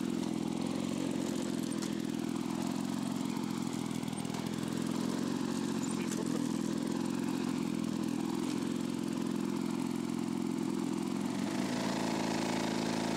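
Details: Lawn-Boy two-stroke mower after sealing crankcase holes and repairing the exhaust: loud, raspy drone at steady speed with a ragged, uneven edge; rough running, mixture screw hard to reach and not yet adjusted.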